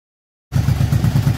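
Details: 2007 Yamaha V-Star 1100 after carb rebuild for flooding, fouled plugs and backfiring, plus oil and filter change: even, steady V-twin idle lope with regular low pulses, no popping or misfire; runs cleanly.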